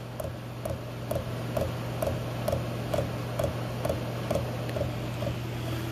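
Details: 8K diesel air heater on its first run in a temporary test setup, exhaust aimed at a vent: sharp, even clicks at about two per second over a steady low fan hum, the metering pump priming fuel normally before ignition.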